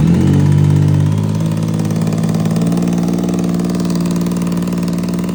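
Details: Yamaha MT-09 engine blips then settles, with a sharp puffing tick in the exhaust from a leak at a crunched header gasket.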